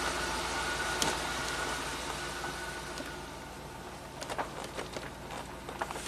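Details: 1993 Cadillac Allante V8 after fixing the crooked, loose idler pulley that was shredding belts, by tapping the bolt hole to M10x1.5. Belt runs centered in its groove; steady, even idle with a quiet belt whir and no chirp. Normal idle.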